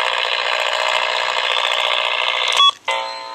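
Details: RF interference at 135 kHz picked up on HF vertical or long-wire antenna near DSL line: constant high-pitched buzzing whine with fast rough pulse, occurring about daily, lowering DSL sync speed.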